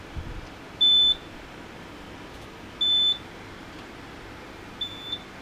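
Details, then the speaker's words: HP T1500 G3 UPS on a 36 V sealed lead-acid pack, about 400–460 W load: single high beeps roughly every two seconds over faint room hum; unsilenceable alarm, owner suspects battery below operating voltage. "I can't silence that alarm. It must be, as soon as the battery light's flash, it must be below its operating voltage."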